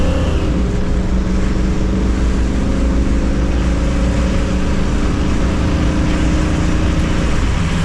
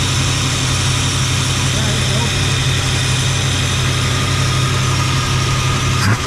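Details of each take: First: 1977 Jeep Cherokee Chief after a new ignition and rebuilt carburetor, fitted to cure spark and fuel issues: revs climb smoothly and evenly with a clean, steady pull and no stumble or popping; normal, healthy acceleration. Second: 1977 Jeep Cherokee Chief, warm at 195 degrees: deep, uneven idle with a lumpy low rumble that never settles; rough running from fouled plugs and weak spark, with the carburetor also needing work.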